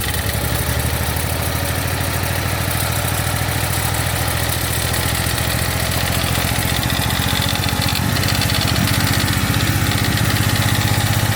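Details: 1991 Daihatsu Mira walkthrough van, started after refitting the distributor cap with corroded, worn tips, still smelling of fuel: uneven, lumpy idle with irregular stumbles, better than before; still misfiring.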